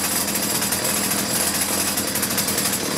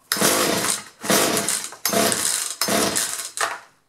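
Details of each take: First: Two-stroke chainsaw idling after fixing wrongly connected fuel lines (previously started briefly then quit): high, raspy buzz, steady and even without sputtering or surging; idle being set so chain doesn't move. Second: Two-stroke chainsaw that would start for a second then quit, good spark and compression, fuel lines previously disturbed by owner: catches in five short bursts, revving then dying each time. Fuel starvation from misrouted fuel lines.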